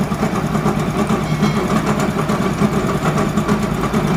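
Idling single with a rough, rapid rattling knock pulsing about twice a second over the engine; sounds like a worn crank bearing.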